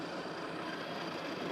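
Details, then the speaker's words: Smeg super-automatic espresso machine grinding beans while programming a long coffee: steady, even whirring grind with no knocks, catches or squeal; built-in grinder running smoothly. "We got the grinding, sorry."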